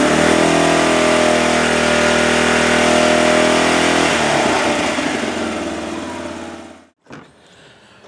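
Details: 2007 Arctic Cat 400 ATV, run after sitting a year and a half, with a cleaned carburetor and a new spark plug, warming up: single-cylinder runs smooth and even, then winds down cleanly; no stumbling or cutting out.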